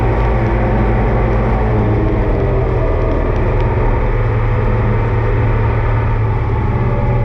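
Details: Oliver 2255 front-wheel-assist tractor on a test run after an oil service of engine, transfer case, front axle, rear end and hydraulics: a loud, steady diesel rumble at an even speed with no knocks or rattles. Normal running; owner says everything is fine.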